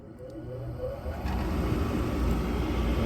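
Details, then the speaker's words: Furnace reported as noisy but still running, heat called for and the inducer starting first: smooth, steady whir with no grinding, rattling or squeal; normal inducer motor, not the source of the noise. "me equivoqué Bueno este no hizo ruido el inducer antes de prender calefacción lo primero que aend es el inducer"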